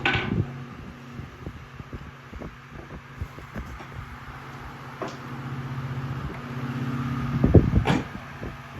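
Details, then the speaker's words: 1950 Emerson 79646-AX three-speed desk fan: low motor hum wobbling unevenly with scattered light ticks and knocks; always rough even freshly oiled, oscillator never worked; rough-running fan motor, cause unclear. "This has always had a roughness to it, even when it's been freshly oiled."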